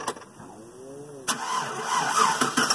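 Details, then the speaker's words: Car with a bad battery during a volt-meter test, after the headlights drained it to about 12.5 V: a sluggish, dragging crank for about a second before the engine catches; voltage dropped to 7.7 V during cranking, showing a very weak battery. "we had a seven point seven volt start right there still started but that's a bad real bad battery"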